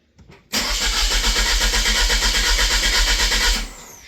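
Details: Van's engine cranking steadily about three beats a second for three seconds but never catching; fuel pump gets no power, likely blown fuse after the pump was bench-tested on a 12 V battery.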